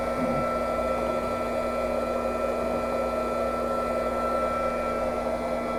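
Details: Small pump draining the old leaking 1998 propane water heater tank during replacement: steady, even electric hum with constant high whine, no surging or rattling; pump running normally.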